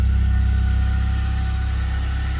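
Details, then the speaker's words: Nissan 200SX project car revived after sitting: steady, even low idle with a smooth unbroken rumble and no knocks or misses; engine running cleanly on its own. "oh does it actually run oh [ __ ] listen to that baby purr oh yeah [Music] dude oh it sounds so nice too"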